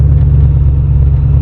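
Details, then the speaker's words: 1985 Porsche 928S V8 held at about 1200 rpm instead of dropping to idle: steady, even rumble; the throttle cable is sticking and frayed at the connection, needs tapping down, and a new cable is to be fitted. "the throttle's sticking I have a new cable for it but I have to constantly tap it down to get it back to idle"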